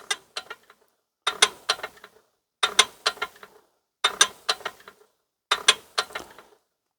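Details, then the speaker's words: Ruston PB8 engine, piston out, before fitting a new big end shell: the crank is swung by hand with light clicking bursts and settles back on the flywheel weights. It spins freely with no binding, and there is no camshaft or cylinder wear. "I mean, look how free she spins, look. Everything spins really nice."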